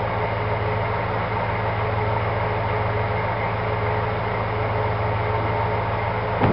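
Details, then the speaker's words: 1965 Ford Galaxie V8 after a quick cleaning of its 2-barrel carburetor, idle possibly needing adjustment; even low rumble with a steady hum and no misses or surges, idling smoothly. "We're going to try to fire it up and see how she sounds. Maybe do some adjustment to the idle."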